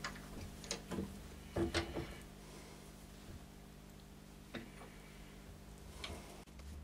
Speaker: Still nothing. I presume you can hear that. It just shows how much this bowl's gone out of shape since I actually made it.